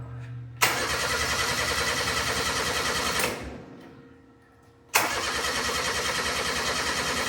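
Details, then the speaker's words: Steiner 230 tractor with Kubota gas engine, after battery charged at 40 amps: starter spins engine in two long even bursts, never catches; crank no start, spark to be checked. "Okay, we're still not starting. So, I guess first things first, uh, let's see if we have spark."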